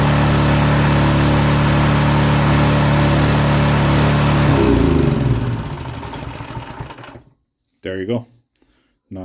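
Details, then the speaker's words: Honda-clone single-cylinder pressure washer engine after carburetor adjustment fix for surging that required half choke: even steady note without hunting for about four seconds, then shut off; no more surging. "surging anymore it was surging like crazy I had to run it on half choke before before I uh first started it"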